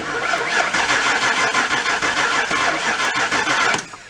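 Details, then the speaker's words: 1970 Mercury Cougar XR7 barn find, in a barn from 1977 to 2003, cranked by jumping the starter solenoid: a steady starter whir for nearly four seconds with a faint tick, no firing. Cranks but won't start; the cause is not yet known. "actually sounds like the key is off but it sounds like it's got a little bit of spark you hear ticking going on"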